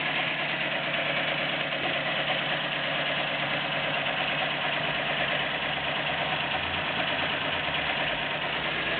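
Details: Nissan Micra 1.0 16V idling: steady idle with light quick valvetrain ticking, noise reduced after tensioning, now only valve tapping suspected; cause not confirmed.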